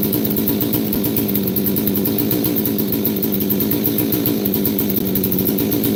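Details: Chainsaw, similar to an 038 Mag, with choke built into the air filter; steady, even two-stroke burble holding speed without stumbling or surging; running well.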